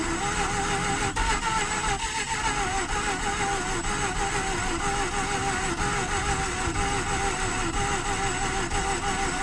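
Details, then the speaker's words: 2009 Mazda RX-8 Grand Touring, 6-speed manual, 215k miles, sat unrun for 8 months with a weak battery that sat dead for months: sluggish, uneven slow cranking at about three turns per second. Suspected low compression. "Battery's pretty weak. I think it sat dead for a couple months."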